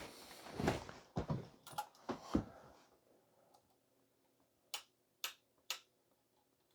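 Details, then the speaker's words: Kenwood TS-430S radio band switch after spraying electronic contact cleaner into the switch wafers: single crisp relay clicks, one per switch step, evenly spaced; before cleaning it clicked rapid-fire. "I would expect to hear that relay clicking noise when you click in, but before, it was just rapid fire."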